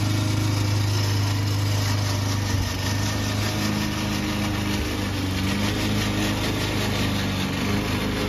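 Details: Old Toro Recycler single-cylinder mower cutting Kentucky bluegrass, binaural recording: a steady buzz with a rattly, clattering drive-system racket over it. The problem was later solved with WD40.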